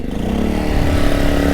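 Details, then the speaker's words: Small single-cylinder generator after fitting a new replacement part, with the water hose plugged in: it settles into a steady, even run with no misfire or surging, sounding audibly better than before. Normal running. "It's already sounding a little better. I can actually hear a difference."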